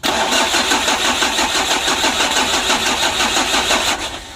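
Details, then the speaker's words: Freshly rebuilt 2010 Mitsubishi L300 4D56 diesel (crank turned, liners bored back to standard) on its first cranking attempts with a weak battery: a labored, uneven, sagging crank at about three turns a second that never catches. "ini baterainya ngedrop jadi kita coba dulu ya kita starter"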